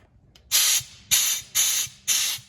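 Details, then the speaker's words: Air tire gun on a truck's newly installed Horn Blasters onboard air relocation kit, fed from the air tank: four short, hard bursts of hissing air, each about a third of a second; gun blows strongly, working normally. "But as you can hear, there is air that goes through here, and when you do press the button, you can see this gauge, the thing turn on it."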